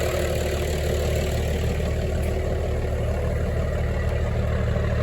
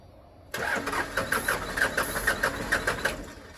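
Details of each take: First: 1996 Dodge Ram 2500 Cummins 12-valve diesel sitting seven years, started after priming via lift-pump primer: steady, even low diesel clatter at idle, regular beat, no misses or knocks; normal cold idle. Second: 1996 Dodge Ram 2500 12-valve Cummins diesel, sat seven years, cranked after ether; starter churns in even compression pulses about two a second but never fires; old fuel lines drained, fuel may not reach injectors; crank no start.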